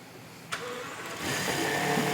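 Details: 2011 Rolls-Royce Ghost 6.6L turbo, after fixing a crank-no-start following Hall effect sensor testing; short crank, clean catch, even quiet idle without misses or knocks; starts and runs properly.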